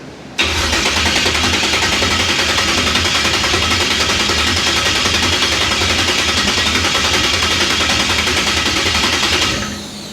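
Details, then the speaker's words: 1966 Impala with a 560hp V8 build: about nine seconds of steady starter cranking with no firing, no fuel reaching the carburetor bowls. Owner wonders whether clocking the fuel pump caused it. "There's no fuel in the bowls yet. None."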